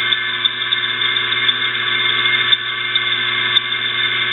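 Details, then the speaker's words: Electric motor, probably from an exhaust fan, run after oiling through its oil ports: turns over easier and less rough, but a steady high whine and squeak over a low hum with slight grinding and ticks remain, especially after unplugging; bearings still noisy. "it's still making a little bit of a squeak noise it's still got a little bit of grinding noise especially after I unplugged it"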